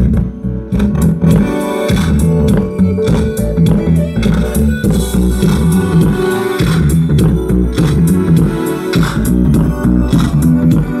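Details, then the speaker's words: Politron active speaker after replacing one failed TIP41 transistor that had caused crackling, distorted sound: guitar and bass play clear and full at steady volume with no crackle, buzz or breakup; the amplifier output is healthy after repair. "Eh, ini benar-benar hebat. Sudah 100 % selesai. Saya hanya perlu mengganti transistor ke-41 di sini, teman-teman."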